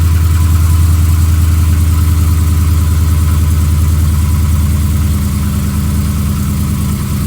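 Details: 2015 Ram 5.7L Hemi V8, almost 18k miles, long-tube headers, idling with steady even knock about three a second under loud exhaust drone; recently started, less noticeable when warm, owner suspects piston slap, unconfirmed.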